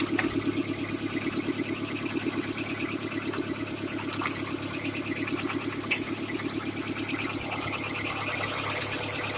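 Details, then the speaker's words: Kia Sportage with a coolant leak and noisy belt: hard, rapid metallic knocking over the idle along with belt chatter. It sounds undrivable. "it sounds like it shouldn't fucking run, is the answer. It sounds like this vehicle should not be drivable. Just so much damn noise."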